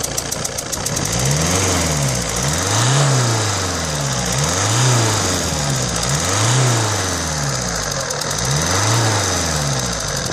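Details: Alfa Romeo 156 1.9 JTD MultiJet 16v (2004) diesel idling: a sharp, puffing tick over the engine, from a leaking injector seal on cylinder No. 2.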